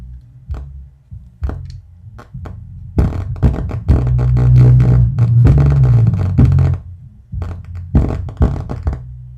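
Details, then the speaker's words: Miller and Kreisel MX-125 amplifier with a customer complaint of distorted sound and hum/buzz, after pot cleaning: bass thumps come through muddy and fuzzy, breaking up on every hit. "so yeah I definitely got a lot of bass Distortion going on [Music] that's not good at all"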